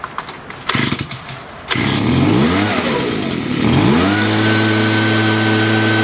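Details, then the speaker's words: Stihl BG56 two-stroke leaf blower restarted, with crazy amounts of gas out of the muffler: pull-start, catches, revs unevenly, then settles to a steady high buzz; compression felt could be better, weak. "Let's feel the compression here. Could be better. Look at all the gas that came out of the muffler."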